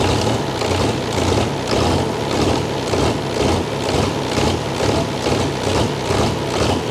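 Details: Chrysler (Mitsubishi 6DS70) marine diesel that sat for years in a barn, first run after bleeding air from the injectors until fuel reached the sixth. Heavy clatter with a steady, slightly lumpy pulse, idling on its own. Normal idle.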